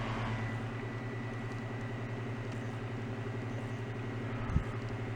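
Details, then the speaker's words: Fan switched to low on the repaired Schumacher SJ1332 jump starter's inverter, 18 watts with the scope: quiet, even hum and soft whir, no rattle or surging; normal running on low. "On low, we're drawing 18 watts. That's between the scope and the fan. Now, the blades are really turning here."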